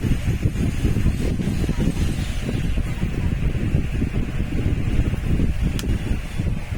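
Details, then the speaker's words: Table fan that was dead because its switch had come loose, running after the switch was replaced and wires rejoined; steady low rumble and air rush, even and unbroken, normal running after repair. "দেখে নাও, fan একদম ওকে, শুধু switch লাগালে complete."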